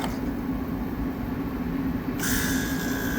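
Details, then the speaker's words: AC unit with rough-starting, flexing motor suspected as the fault; compressors run by pushing in the contactors: steady low hum, then a second compressor kicks in with a brighter whirr, both running evenly, no direct short, pressures unchecked. "sounds fine both the compressors sound like they're working don't know if pressures are good but we know it's not a direct short"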